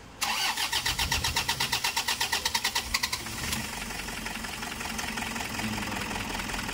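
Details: Toyota Hiace 2KD diesel with lost power, shaking engine and stalling when throttle released: starter cranks about three seconds before the engine barely catches; hard starting, with low fuel rail pressure, injector leak-back, return leakage or low compression suspected.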